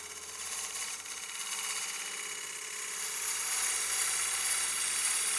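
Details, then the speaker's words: Woodturning lathe, push cut on partially seasoned walnut bowl after adjusting tool rest for more support: smooth, even shearing hiss building through the cut, no buzzing chatter; clean cut, tone changed from earlier chatter. "and you could hear that tone change we got once we adjusted that tool rest and got more tool support we got a lot less chatter um but we should have a really clean cut off that push cut"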